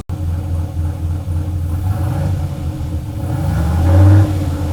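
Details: Turbo LS Chevelle with Holley Terminator X on first start, fuel pressure 75 psi: fast, steady idle that climbs further toward the end, above target with the idle air control at 0%; owner thinks the throttle blade is open too much.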